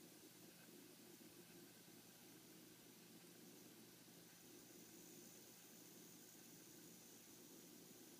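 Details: 27-inch iMac under load or when raising screen brightness: faint, steady hiss over a quiet hum with no rhythm; hissing noise, source not pinned down.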